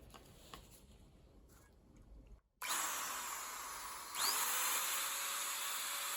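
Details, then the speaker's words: Makita 4-inch angle grinder, a street find with a broken switch button, stiff switch, and gear and spindle-lock detent needing replacement: motor winds up to a smooth, high, steady whine with no rattle or grinding; the motor runs fine. "Actually sounds very nice. It might be worth fixing, but I would need a new gear and I would need a new detent mechanism."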